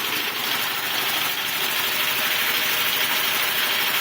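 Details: Quincy air compressor running normally after a blown 30 A time-delay fuse (open circuit, no blackened window) was found and replaced; steady even hiss and motor drone, no knocks or stalls, pumping smoothly and building tank pressure.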